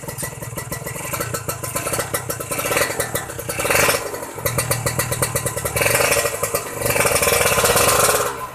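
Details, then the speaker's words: Kawasaki Ninja 150 R two-stroke after carburettor air-screw adjustment, revved: crisp, raspy revs climbing and falling cleanly with each blip, no stumble or bog; normal revving. "Insya Allah ini ditanjakan atau ditarik nggak berebut guys. Kita coba tarik gas lagi teman-teman, supaya kalian lebih puas nih teman-teman."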